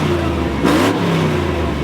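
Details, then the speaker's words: LS V8 Silverado truck on a test cam: it pulls smoothly through a quick rev and settles with a slight lope. It sounds healthy but makes less low-end torque than stock, and the exhaust now leaks more ahead of the muffler. "It really doesn't sound bad there. It really doesn't. More leaking out before the muffler than it used to, though."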